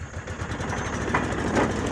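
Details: Kawasaki Mule 3010 side-by-side after fuel pump repair, first run after sitting a long time: quick, even putter of about ten pulses a second, steady with no stumbles or misses; the small twin idles healthy.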